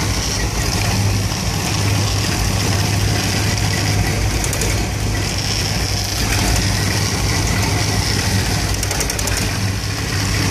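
Warm V8 idling with a lumpy, uneven beat and occasional stumbles instead of a smooth, steady rumble; rough idle, cause not pinned down.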